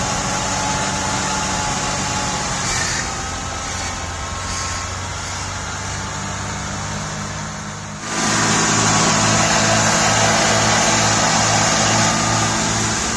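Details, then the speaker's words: 1989 Buick Reatta after new idle control valve fitted: engine holds a fast, even idle that never drops and then climbs slightly higher, still revving high; high idle, stuck idle control suspected. "Yeah, motor mouth will be a thing. That sounds like it's revving, still revving high."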